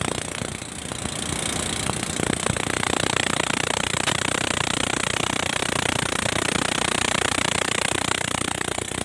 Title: 350 dn chaman passenger stationed at baleli railway station. strange noise coming from RGE 20 5117